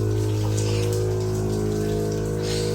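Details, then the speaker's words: 2022 Tesla Model Y Performance with an AirLift air suspension install; the compressor runs loud while filling, a steady drone with a low hum and whirring, no knocks. "yeah, you can hear the compressor a little bit loud right now."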